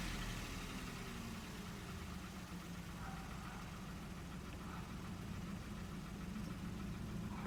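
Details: Hyundai HB20 three-cylinder engine at steady idle with a dull, rapid, diesel-like clatter of about four taps a second. Three mechanics call it normal three-cylinder noise; one suspects a piston pin. Cause unconfirmed.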